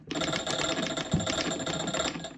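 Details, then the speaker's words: Soviet TA-57 military field telephone in 2-wire setup, hand crank wound to ring the bell at the other phone; rapid, steady ringing rattle over two seconds as the crank turns; normal magneto bell ringing. "when you wind that crank, all it does is ring the bell on the other end. You don't need to crank it while you talk."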